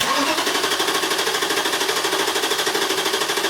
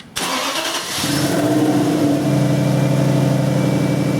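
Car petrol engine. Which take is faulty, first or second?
first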